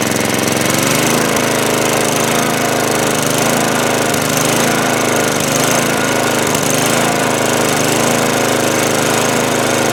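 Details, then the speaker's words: Snow blower that wouldn't start after sitting with old fuel, after cleaning the carburetor bowl, main jet and bowl nut, started on choke at full throttle with primer: small single-cylinder catches and holds steady even clatter, no stumbling or surging. "yeah baby we're back in business and that's really all there is to it we simply cleaned out the carburetor Bowl in the main jet the bow nut put it back up and she wants to run again"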